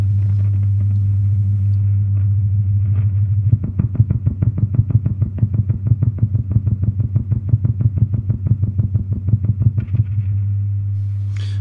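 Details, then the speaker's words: Gibson GA-40T Les Paul tube amp on first power-up before repair: steady low hum then rapid put-put pulsing about three times a second that dies away; motorboating, parasitic oscillation attributed to old power-supply filter caps. "moaning is a parasitic oscillation cost sometimes by faulty filter caps and sure enough power change is filter caps I'm sure this is the reason why this thing is motorboating"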